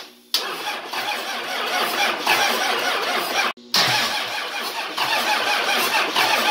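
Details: 24V Cummins standalone-wired for a Dodge delete swap, after confirming fuel toward the VP44 and cracking number one injector: long labored crank that pauses then grinds on; slow to catch, hard starting diesel that needed some ether to run.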